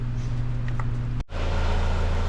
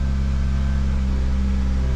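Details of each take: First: 2009 Ford Fusion 2.3L idling after the actuator was swapped on its faulty intake manifold, which caused a vacuum leak; no more codes. A steady, even low hum with no stumble or rattle, so normal idle. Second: 2009 Ford Fusion 2.3L after cam position and cylinder head temperature sensor repairs, head temperature reading 48°: deep droning idle with an uneven low throb, misfiring and nearly stalling; later traced to a vacuum leak from a faulty intake manifold.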